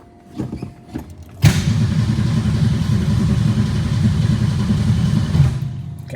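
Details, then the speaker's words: 1962 Ford Falcon, carburetor with manual choke, electric fuel pump: starter cranks about four seconds at an even churning beat and never fires; no fuel at the carburetor, needle and seat possibly stuck. "Alright, so there's no fuel up there. I wonder if the needle and seat are already stuck or something."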